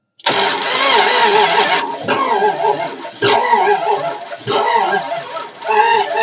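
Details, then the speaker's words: 1969 Imperial LeBaron off the road over 30 years, fuel fed from a line hooked to the hard line and nothing coming from the tank: repeated bursts of fast cranking, no catch. Crank, no start; not sparking on all cylinders, battery dead. "nothing's coming out of the tank which I kind of expected it"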